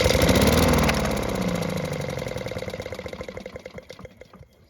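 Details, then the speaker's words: Free Honda push mower with surging complaint, engine primed with fuel: small single-cylinder catches, runs a couple of seconds, then fades out as primed fuel burns off; not worn out, electric start not working. "And as you just heard, the engine started and run for a couple of seconds, which means it's not worn out and is great news."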